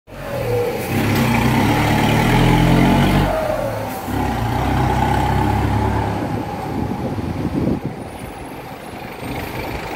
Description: Opa galera, trago agora uma tomada do Vip 4 da Viação Acari B42531 com escapamento furado e fazendo aquele ruido característico, torço muito para que a Acari se recupere e saia da crise fortalecida